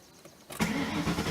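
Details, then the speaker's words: Ford Mustang start after fuel filter replacement and refuel: quick crank catching almost at once, settling into a steady even idle; sounds good, no leaks seen in the pressurized fuel system. "here starts up I don't know sounds good to me"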